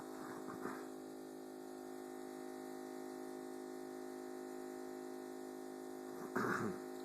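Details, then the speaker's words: New Thermador 48-inch refrigerator KBUIT4865E05 running: loud, steady droning hum with several layered tones, louder than normal, that later stops and goes quiet. "this is our Thermador 48 in refrigerator I don't think this is the noise it's supposed to make"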